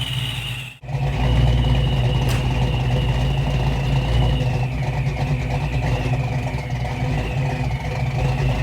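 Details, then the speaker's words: Supercharged 306 in a Fox-body Mustang after Anderson N-51HR cam install, timing still off: lumpy, choppy idle drifting slightly up and down instead of holding steady; idle hunting, needs tuning, though hitting harder than before. "needs to be tweaked on it right now you can hear it slightly kind of up and down but it's definitely hitting harder than it was for sure"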